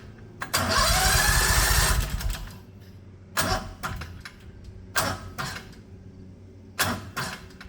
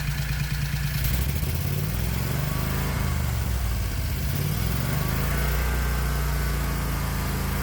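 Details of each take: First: 670cc Predator engine in 1969 Renault R10 with dual 24mm OKO carbs: starter drags slowly in uneven bursts, labouring on each compression stroke; hard to crank over on compression, fine once spinning. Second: 1969 Renault R10, air-cooled 670cc Predator, new dual 24mm OKO carbs, AFR high 10s: throttle blip rises and falls cleanly, no stumble or pop; good response though still a little rich.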